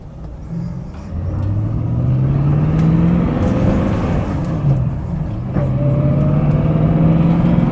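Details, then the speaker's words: TVR Griffith 500 V8 on first test drive after work (distributor weights previously seized, no vacuum advance, sensors unplugged): deep V8 rumble climbing smoothly through two pulls, no stumbles or knocks; healthy under acceleration. "I hope you guys can hear how lovely this V8 sounds."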